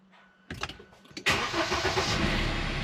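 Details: JAC pickup diesel after injector re-repair, filter changes and tank cleaning, first start after long standing: a few faint clicks, brief crank, then it catches at once into a steady idle; clean start, though an engine fault code remains.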